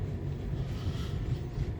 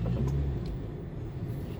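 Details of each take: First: 2011 Nissan Cube after underbody repair of a rattle over unpaved roads and speed bumps, done with no parts cost: steady low rumble on the move with no metallic rattling or clatter; normal running, rattle gone. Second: 2011 Nissan Cube driving over an unpaved road and speed bumps: scattered metallic clunks and rattles from underneath over road rumble. On the lift, the first muffler after the catalytic converter was found sagging and knocking against the body.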